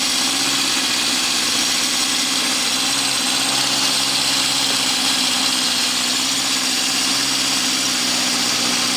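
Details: 1972 Honda CB750 K2 four-cylinder, freshly restored, with new exhausts, chain and tires, run without bodywork; smooth, even idle with a steady exhaust note and no knocks or misses.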